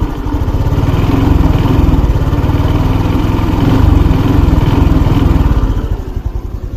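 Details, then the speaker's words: 2024 Honda Wave 110i, about one month old with just over 1,000 km: a loud, fast, even clatter over the idle at about three beats a second. Dealer called it normal; most advisers suspect cam chain, some valve springs. Unconfirmed. "เพื่อนๆว่าเป็นอะไรครับสปริงวาล์วหรือว่าโซ่ลิ้น"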